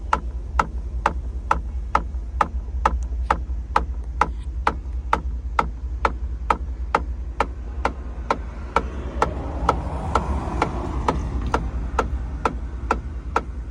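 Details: 2012 Chevrolet Tahoe LTZ knocking from the passenger rear interior quarter panel while driving: sharp even tick about twice a second over low road rumble, source unknown.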